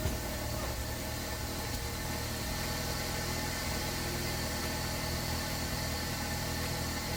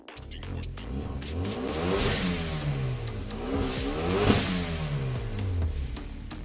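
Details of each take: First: 2014 Hyundai Veloster Turbo with an aftermarket Forge blow-off valve and muffler delete, after control arm and transmission fluid replacement: even, steady idle with a deep raspy exhaust drone and no knocks or misses. The odd noise was an impact tool, not the engine. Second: 2014 Hyundai Veloster Turbo, automatic, muffler section cut out and replaced with a straight pipe: engine revs rise and fall sharply with a raspy, booming exhaust note throughout; loud exhaust from the muffler delete.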